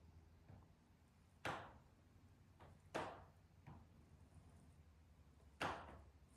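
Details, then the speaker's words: Patio sunroom of riveted steel panels around 3:50 pm in direct sun: sharp, irregular pops a few seconds apart in a quiet room as the rivets expand and contract; it happens only when sun is directly on it. "solar said it doesn't happen all the time, just when the sun's on it directly."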